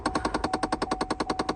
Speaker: Right now you can hear the blend door motor noise. It's like sounds like a machine gun.